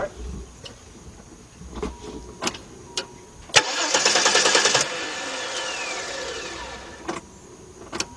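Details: 1993 Chrysler LeBaron 3.0: scattered clicks then about a second of steady cranking that never fires; cranks but does not start.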